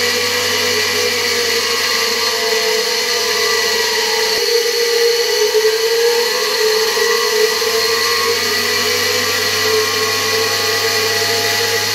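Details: Hungarian Imi motor, tested on a regulator at reduced voltage: a steady high whine of constant pitch with an even hiss of airflow, no rattles or grinding; the motor runs smoothly.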